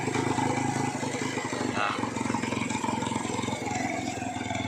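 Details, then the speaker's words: Small single-cylinder Jialing motorcycle engine, rebuilt and run after years unused: uneven light ticking knock, three or four a second, heard only as the throttle closes and absent when revved; cause unclear. "Nah kalau digas enggak enggak bunyi ya Tuh tapi kalau gasnya turun agak"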